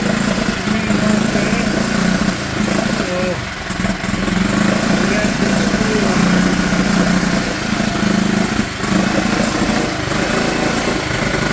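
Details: Mercury/Tohatsu 4hp four-stroke outboard in a bucket, after carb cleaning and fresh petrol for a no-start, running on choke: steady, even putter with no misses or surging; normal running.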